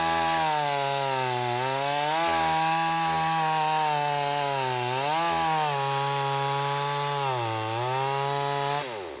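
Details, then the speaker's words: Stihl AV 028 Woodboss Super chainsaw after a fuel line and filter fix for lean bogging, making quick cuts in wood with the old air filter off: it screams at high revs and dips into cuts and recovers without bogging. It runs right. "All right, well, that's good news. We've got the saw running right."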